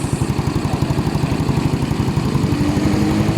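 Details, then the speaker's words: Motorcycle with a 24 head, 59 big bore and stock bottom end, after a crankshaft side-play repair: quick, even idle pulses with a steady beat, no ticking or knocking. The repair is done and it runs very quiet. "Ayos na yung ginawa natin mga kapulido. Napakatahimik na."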